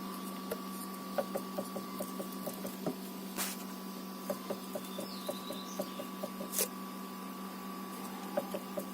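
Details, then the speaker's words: Hyundai Elantra HD steering: light, regular knocking at the slightest turn, about three taps a second, over a low hum. A bushing was first suspected; the fix planned is replacing the plastic gears in the electric power steering. "всем привет сегодня решил устранить стук рулевой рейки точнее наверное скорее всего втулочки на электро усилить его слушайте"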